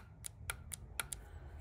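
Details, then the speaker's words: Ford F350 diesel, sitting 35 years, engine off; power applied to each terminal of the injection pump fuel solenoid, sharp crisp clicks heard each time, solenoid engaging normally. "so I got these both hot power you got to put one here you hear the solenoid click engage him then this one you should also hear another solenoid click"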